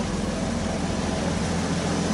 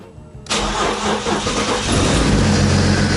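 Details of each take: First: BMW diesel engine swapped into a Dart, right after its first start: even, steady, quiet low idle with no knocks or misses; healthy, owner suspects vacuum leaks. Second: Swapped BMW diesel engine, first start on jumper cables from an extra battery after low battery and weak ground: cranks briefly, catches into loud slightly uneven clatter settling toward idle; owner suspects vacuum leaks.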